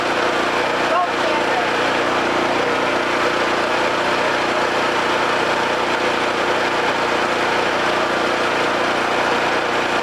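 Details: Homelite 5000 watt generator, bought used with a corroded carburetor; after carburetor, brush assembly and AVR replacement and re-exciting the field with a battery charger, it runs with an even, steady buzzing drone at constant governed speed, no surging or hunting, producing power.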